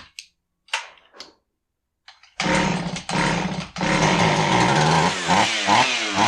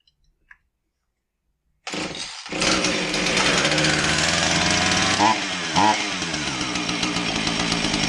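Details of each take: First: Husqvarna 445 chainsaw that bogged and wouldn't rev, after cleaning plugged low-speed carb circuit (likely old fuel) and setting low screw 1¾ turns out: fires after a few pulls and revs cleanly, strong rise and fall without stumbling; fixed. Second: Husqvarna 445 chainsaw that bogs and won't rev, with a new fuel filter fitted: fires after a couple of seconds and runs unevenly, stumbling; idles fairly well, richening the low-speed screw doesn't help; plugged low-speed carburettor circuit.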